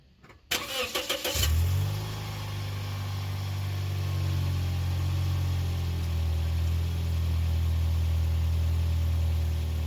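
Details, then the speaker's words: 2007–2010 Toyota Yaris after muffler replacement: engine cranks, catches quickly and settles into steady even low idle with no ticking or puffing; no exhaust leak felt by hand, exhaust sounds sealed. "And then I checked for leaks. With my hands, I couldn't feel anything escaping here."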